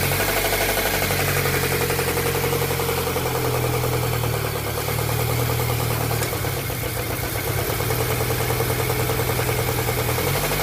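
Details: VAZ 124 engine knocking: uneven, rapid knocking over a steady idle that keeps going without letting up; cause not yet known.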